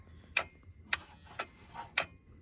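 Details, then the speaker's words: 1992 Ford F-250 7.3 diesel, 5-speed, sitting since 2004, before first start: crisp, evenly spaced clicks about every half second with the engine off; owner suspects the glow plug relay, source unclear. "Yeah, I don't know if that clicking is the glow plug relay trying to engage or what. It's wherever that is."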